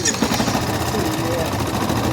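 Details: Yamaha Crosser 150 after fitting a new starter motor (worn starter bushing): the single-cylinder engine electric-starts without grinding and settles into a steady, even idle. A separate clutch-drum noise fades when the clutch is pulled.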